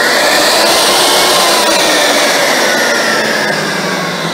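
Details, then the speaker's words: Vacuum cleaner motor that would not turn on, tested after the fault in its wires was found, soldered and taped: loud, steady high-pitched whir holding pitch without cutting out or rattling; now runs normally. "Aquí pudimos encontrar la falla que fue en los alambres y la pudimos soldar. Así es como ya funcionó."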